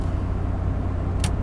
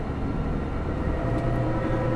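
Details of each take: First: Dodge truck rear differential after rebuild with reused old crush sleeve, driving before break-in, a buzzer beeping: steady low road rumble, no whine or howl; normal, quiet rear differential. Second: Dodge truck on a road test, driving on the gas: faint steady whine over heavy road rumble, heard constantly but worse under acceleration; rear differential pinion bearing suspected, possibly ring and pinion damage.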